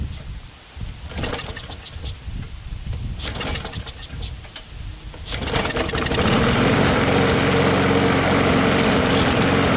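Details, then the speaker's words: Craftsman push mower coughs and sputters, then runs rough. Owner suspects an air leak from a hard aftermarket gasket. The primer doesn't work, and the blade may be wrong or the crankshaft bent. "Yeah, I feel like some kind of an air leak, you know, like it's not doing anything."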